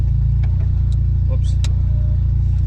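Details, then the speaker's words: JDM Evo with open exhaust ending under the cabin: loud, raw, steady high idle around 1850 rpm; owner says it wanders all over once hot. "'s like like about a thousand eight hundred and fifty whatever but it's once it gets hot it just gets all over the place"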